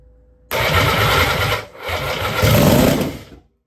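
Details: Norton Nemesis 1500cc fuel-injected V8, first bench start after rebuild with fuel dropped into inlet ports: starter whirr catches into a brief, lumpy but strong three-second burst of firing, then dies; engine fires healthily.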